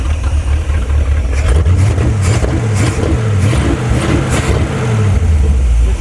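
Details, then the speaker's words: Abandoned Chevrolet C10 project V8 with the fuel pump disconnected, idling with throttle blips: deep, even idle, revs rise smoothly and drop straight back to a steady idle each time; a healthy motor. "That's awesome. Runs great. I I mean that pump's not even hooked up anymore. It's still running."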